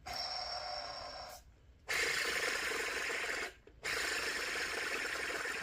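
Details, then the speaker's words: Jeep Liberty belt tensioner/idler pulley turned by hand: gritty, rasping grind in three spins with short gaps, from a worn pulley bearing; it should be silent with more resistance. "start up your car or your Jeep this is off of Jeep Liberty and you hear that noise you know your tensioners are shot it sounds a lot louder on the car but it shouldn't make any noise at all and it should be more resistance"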